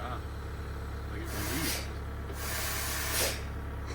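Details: Air hiss on Mama's ATM with low truck rumble underneath and two or three sharp bursts of escaping air up front, heard right after a QR valve that failed from sitting was replaced; brakes then stuck, possibly from ice after sitting in cold.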